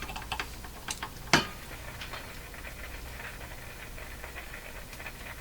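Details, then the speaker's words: Crosley Mohawk Model 14B tube radio during operational testing: a few sharp pops and crackles, then faint steady hiss; intermittent crackling noise that came and went, cause unknown. "what's all that crackling"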